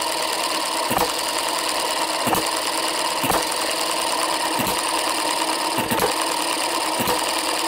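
Sharp single firing pops about every second and a quarter, roughly 46 a minute, coasting evenly between. A healthy slow hit-and-miss rhythm.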